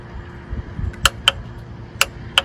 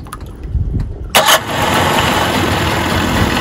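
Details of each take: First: Mercury 25 hp two-stroke outboard in the water: key gives sharp clicks with no cranking; starter gets power and the solenoid is good, but the Bendix isn't engaging, so the starter is replaced. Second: Mercury 25 hp two-stroke outboard just after starter replacement and battery cables re-secured, started from the driver's seat to run about 5 minutes; short crank catches at once, then steady even idle, no starter grinding. Normal start and idle.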